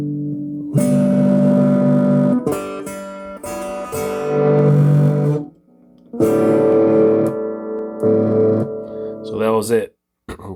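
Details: DigiTech Bad Monkey Tube Overdrive pedal that only passed dry signal, after replacing two blown open resistors; guitar comes through thick and gritty with steady sustain, overdrive switching in and working properly.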